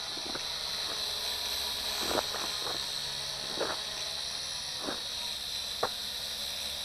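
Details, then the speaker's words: Lishitoys L6052 quadcopter fitted with three-bladed propellers sold for Syma X5C/JJRC H8C, hovering: steady high buzzing hiss with occasional clicks and vibration, noisier than stock; pilot suspects unbalanced blades, excess propeller noise. "I'm also hearing some vibrations in it it's a little more noisy which means uh these are somewhat unbalanced here"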